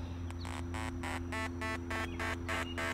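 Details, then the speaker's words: VILO vinyl liner leak locator probe held over a major leak in a vinyl-lined pool: rapid pulsing electronic chirps, about three a second, over a steady low hum as water rushing out of the insulated liner creates a ground the probe detects. "what you're hearing right there is this probe detecting a ground. When water is rushing out of an insulated vinyl liner, it creates a ground."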